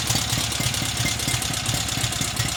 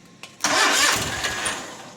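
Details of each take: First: Cub Cadet 1811 with an M18 twin-cylinder engine whose block is badly cracked and was crudely patched with silicone; it starts and runs with a busy, uneven clatter and knocking over the idle. The rough running's cause is unclear. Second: Cub Cadet 1811 M18 engine, bench-run after a hard-start, hard-crank complaint, cranks briefly, then catches at once and settles into a steady run; starts cleanly, though it needs carburetor work and has a cracked block.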